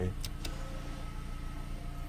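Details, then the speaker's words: 2018 Mazda CX-5 with code C112A and a blinking parking brake light: after the electric parking brake is released, a low steady motor hum runs on well past the normal 2–3 seconds. The rear actuator keeps running. "okay now I released it I can hear that I can hear the activator is still running it should only take like 2 three second it keeps running"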